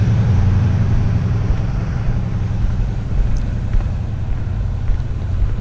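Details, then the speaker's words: Freshly assembled Interceptor twin after bench-synced carbs, first start, idle set a little high: low, soft, even burble, no misses or knocks; exhaust much quieter than the owner's Vance & Hines-equipped bike. Normal running, quiet exhaust. "i also can't believe how quiet it is i had no idea these things were this quiet because the vance and heinz is not quiet"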